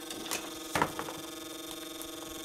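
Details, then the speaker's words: QJE switching power supply during testing, non-factory added fan: steady small-fan hum with irregular light ticks and a sharper scrape; fan blade grazing, sounding like hitting a wire. "I'm gonna figure out what's going on with that fan and then we're load tested cuz that's annoying me sounds like it's hitting a wire"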